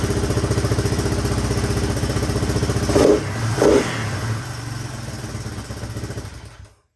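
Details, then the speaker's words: 1983 Honda XR200R, sitting for years, first kick-start: steady idle with two quick throttle blips, no ticking or cam chain rattle. Quiet, healthy single; slight smoke likely from oil put down the spark plug hole. "That engine sounds pretty quiet too. Not hearing the cam chain flopping around or valve."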